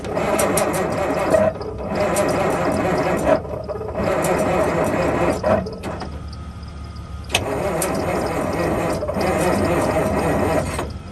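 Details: 1971 Peterbilt 352 diesel truck with new fuel line and filter, ether and jump pack: repeated long cranking bursts with pauses, engine churning but never catching; crank no start, old filter very dirty, cause unconfirmed.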